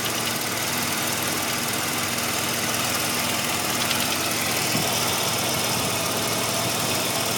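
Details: 1985 Mazda RX-7 rotary idling warm with a fast, uneven tapping over a harsh buzzy note. The knock only appears once warmed up; the owner hopes it is a pulley, and the cause is unconfirmed.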